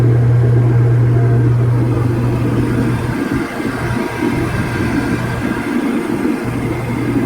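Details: Older Comfortmaker forced draft furnace after the open high limit switch was replaced, igniter lit and no error flashes: a steady low hum with even burner rumble underneath and no clicking or stuttering; the furnace is running normally.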